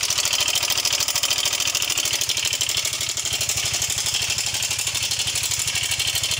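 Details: Yamaha Mio 125 (M3) idling with rough engine noise: fast, dry, rattly ticking from the top end, a weak cam chain tensioner; oil level found fine.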